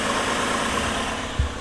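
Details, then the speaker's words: 2004 GMC Envoy after repair for P0300/P0304 cylinder 4 misfire, restarted: smooth even idle hum and normal factory exhaust, no check engine light; normal idle. "so the engine sounds good now another thing we can do is we can take a listen to the exhaust so the sweet hum of that factory exhaust sounds pretty good i don't hear anything out of the ordinary with that"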